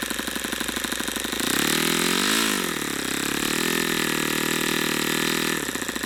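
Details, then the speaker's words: YS FZ63 model glow engine, first run, 22% nitro / 18% oil fuel, OS F plug, APC 11x8 prop: high buzzing note climbs, then sags and stays lower without knocking; owner unsure if overheating or not broken in. "I don't understand if that's a overheating thing I didn't hear it Knocking or what that is maybe it's not broken in"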